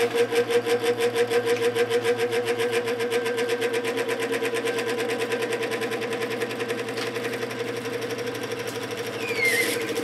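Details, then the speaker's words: 1950s GE F11W3 reversible window fan, 2.5 A shaded-pole motor, before oiling: a rhythmic hum pulsing about three times a second while spinning up, then evening out at speed; owner hopes oiling will help. "it runs pretty nice once it gets up to speed the motor has allowed a cyclic hum when it's speeding up so hopefully oiling it helps a little bit"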